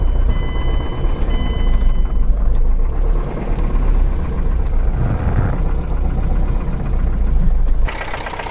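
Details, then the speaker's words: Worn rod bearing knock: heavy, deep-running engine with a rapid "cluck clack clack" clattering knock underneath as the rod pushes the piston up. "so what the bearing knock is is when it pushes the Piston up it goes cluck CL clack clack"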